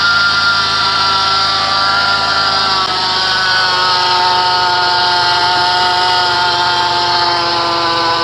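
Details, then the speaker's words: 2006 Chrysler Pacifica 3.5 at idle after start, heard from the serpentine belt area: steady high-pitched gritty squeal; a belt-driven pulley bearing is suspected rather than the belt. "all right now that you heard the sound um it's not so much a serpentine belt squealing sound but it's almost like something hooked to the belt has a bad bearing in it"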